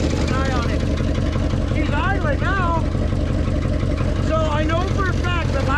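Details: Old Ford dump truck, idle since late 90s/early 2000s, running in the cold on a makeshift jerry-can fuel hose: low, uneven chugging idle with an irregular beat; running but rough and unsettled.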